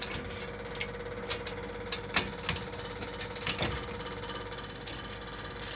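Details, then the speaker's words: Ceiling-mounted home air conditioner loud when switched on: steady fan motor hum with irregular rattling clicks and knocks; fan motor rubber anti-vibration mounts worn, torn and melted, capacitor thought fine. "2มอเตอร์ดังนะครับยางมอเตอร์สึกยางละลาย"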